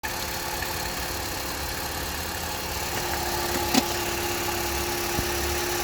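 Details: Opel Astra H 1.4 66kW has a quiet, even idle with a faint, loosely timed knock from under the engine; the cause is not yet found.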